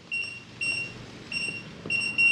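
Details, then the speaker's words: Kwikset 914 SmartCode deadbolt keypad after programming: entered code rejected, lock flashes red and gives four quick high-pitched beeps instead of the green flash and long beep. "lock long beep flash is green flash is red and it beeps at you like multiple times it didn't take the code"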